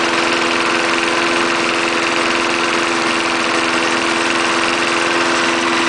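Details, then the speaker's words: 1974 Snapper lawnmower, 3.5 hp Briggs single-cylinder, fresh gas after bone-dry tank, restarted: steady fast even putter with no misses or surging; normal running. "try starting it again 3.5 horsepower Briggs still runs good"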